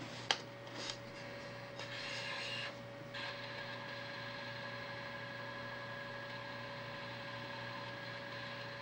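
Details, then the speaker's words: Imation SuperDisk drive: a few sharp clicks and a rough buzzing burst, then a steady thin whir, seeking far more than expected and getting stuck; owner suspects he broke it, abnormal drive mechanism noise. "Maybe I did break this thing. I don't remember it seeking this much."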